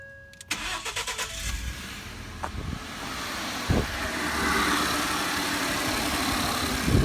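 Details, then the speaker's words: 2012 Ford F-150 XLT 3.5L twin-turbo EcoBoost, about 64,000 miles, cold restart after exhaust manifold gasket repair: quick crank, clean catch, smooth even idle; sounds much cleaner than before, only injectors opening heard, no knocking. "that sounds a lot cleaner than what it did now really the only thing that I'm hearing are the the injector's opening up"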